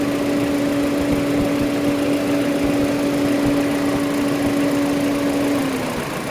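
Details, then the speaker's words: Mini Cooper idling, radiator cooling fan running after missing fan relay refitted and temperature sensor unplugged; sensor reconnected: steady fan hum drops away as the fan switches off and slows to a stop, normal shutoff. "Okay, so that shuts off. Now fan is slowing down. Should come to a complete stop."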